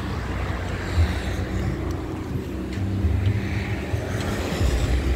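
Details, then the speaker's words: 2012 LV Turbo diesel, low km and rarely used, no blow-by, engine already warm from recent driving: catches on the first crank, then steady low rumble into even idle, showing healthy battery and starter; normal diesel start. "Sekali kontak langsung cegreng, langsung nyala. Berarti akinya sehat, dinamonya sehat."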